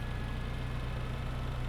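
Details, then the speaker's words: Mitsubishi Lancer EX Turbo, 170,000 km engine, before oil change and Bellhammer 7 additive, cold start in a quiet 45 dB street: low, lumpy idle with heavy throb because the sticking ISC servo is slow to raise idle; later steadies at about 75 dB near the engine. "現在、ISCサーボの動きが悪くてアイドルアップに少し時間がかかります。そのため最初はエンジンの振動が大きいです。"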